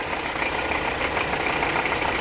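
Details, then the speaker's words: 2020 Honda CR-V 1.5 turbo with engine noise: steady high whirring over idle, loudest toward the rear of the engine at the alternator; noisy alternator, per tags possibly alternator clutch. "Ahí está aumentando el ruido considerablemente en la parte del alternador."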